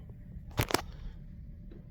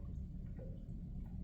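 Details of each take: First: Vsport intercooler coolant pump switched on during the fill procedure after a leak repair: a few clicks, then from about four seconds a faint, steady electric hum sets in and holds even; the pump is running normally. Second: Vsport intercooler coolant circuit after a leak repair, strainer valve pressed with the pump off: faint, quiet gurgling and small drips as air bubbles out; the circuit is probably empty or close to it, air in the intercooler coolant circuit.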